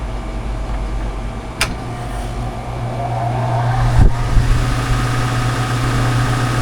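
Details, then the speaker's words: New R-410A heat pump with defrost board bypassed for straight cooling, thermostat calling for cool: thump, low hum builds with rising fan whoosh and second thump; compressor and fan start cleanly, air blowing right way. "heard the compressor come on and the fan. Blowing the right way."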